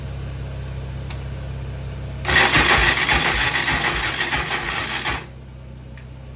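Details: Honda TRX450ER: starter grinds about three seconds with uneven labouring compression beats, never catches, run from a large BMW battery connected directly; crank suspected, crank bearings ordered; hard starting.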